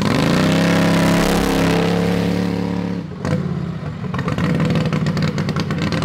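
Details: Modified Harbor Freight 670cc V-twin (about 55 hp) drag rail kart, revived after sitting. A coil was replaced after contacting the flywheel magnet carrier and its gap set wide; it now fires right up. A strong, even note rises with throttle, drops, then settles steady: normal running.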